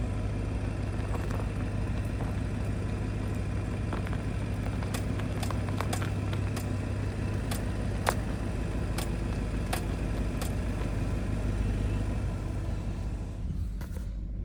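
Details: 2025 Audi RS6: sharp, irregular clicks about once a second over a low rolling hum from the front wheels while driving; dealership found no cause, source unknown.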